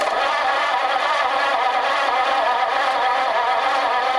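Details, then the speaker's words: Engine running rough with lots of smoke, a steady low thumping pulse and coarse uneven roar; owner unsure all cylinders are getting spark, suspects the very poor distributor cap; two loose wires reconnected didn't fix it. "Making lots of smoke. I don't know if I'm getting sparkle on all cylinders. The distributor cap is really crappy."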